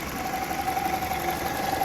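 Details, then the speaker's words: Toyota 5S-FE engine at smooth idle with constant mid-pitched hum; dipstick pulled to check, PCV valve previously replaced by someone was found not working and causing the drone. "Всему виной вот этот клапан. Его кто-то поставил новый, скорее всего, уже не рабочий."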